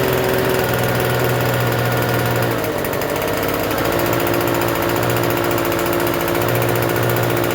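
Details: Free Troy-Bilt TB272V two-stroke leaf blower, restarted after sitting and being worked on: fast steady buzz well above normal idle that never settles, still idling a little high even with the adjustment turned out as far as it goes.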